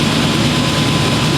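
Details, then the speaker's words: 1997 GMC Sierra 3500 after fuel pump replacement, first start, intake hose not yet reconnected: smooth steady roar with no knocks, misses or squeals; normal running. "All right. This thing sounds good, too. Make sure we got no leaks. That's sweet. Sounds really good."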